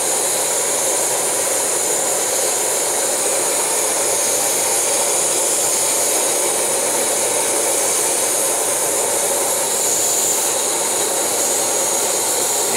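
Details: MSR Whisperlite Universal stove fed by a Primus Himalaya Omni Fuel pump in an MSR bottle, UC valve and UG jet, boiling 40 oz of water; steady, even roaring hiss without sputter or pulsing; normal burner roar at full flame.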